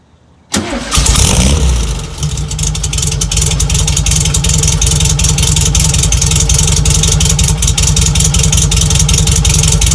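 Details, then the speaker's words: 1963 VW Bug flat-four with a new stainless steel exhaust from Vintage Speed in Japan, being prepped for a time attack. It cranks and catches quickly, then settles into an even throaty burble with clean revs, a healthy running engine. "the exhaust came from vintage speed in Japan to come wild to and make this thing and send it over but it arrived and I'm so happy with the purchase let's hear it you'll see what I mean"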